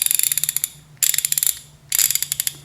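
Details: Craftsman ratchet; crisp, fine clicking in quick even bursts of about a dozen ticks per swing; normal ratchet click.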